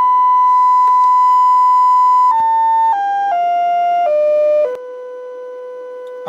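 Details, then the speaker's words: Bridge amplifier built on a breadboard from two LM380N chips, driving a speaker: a steady, clean test tone steps down from about 1 kHz to 500 Hz with no buzz. One speaker side gets positive while the other gets negative, as intended. "yeah so what we're saying is that on one side I'm getting the positive and on the other side of the speaker at the same time I'll be getting the negative which is which is fine"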